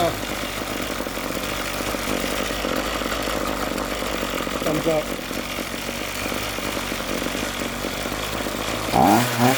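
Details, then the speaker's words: Ryobi RY251PH two-stroke trimmer power head that died when throttle released, after replacing carburetor with kit 753-06258A and two fuel hoses: small engine buzzes steadily and holds idle without dying; repaired. "it's running yay it's not shutting"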